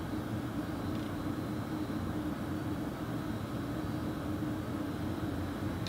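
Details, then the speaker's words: 2018 VW Transporter T6 Webasto ThermoTop Evo parking heater firing while cabin fans blow hot air: steady even whoosh over a low hum, no ticks or misses; running normally. "so all that noise at the moment is your Roboto heater firing you've got your fans pumping out hot air"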